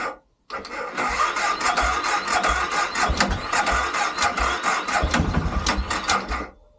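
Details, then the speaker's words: BMW F650GS Dakar, first start after 2 years, jump leads on a half-dead battery, ignition issues fixed; uneven starter churn with ragged firing pulses, then it catches, runs roughly and stalls; throttle reset follows: cranking and catching after stall. "Okay, so got it running and it's stalled, so I'm going to do a throttle reset on it now."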